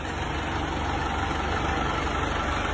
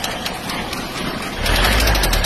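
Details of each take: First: Diesel engine after rebuild (crankshaft ground, new pistons, liners reversed, new rings, new connecting rod) that previously knocked from piston hitting the head: even idle clatter about three beats a second, no knocking. Normal idle. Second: Diesel engine before repair: sharp metallic knock about four times a second over idle, louder as revs rise; worn rod bearings, fixed by crankshaft regrind, new bearings, new connecting rod, piston, rings and relined cylinder.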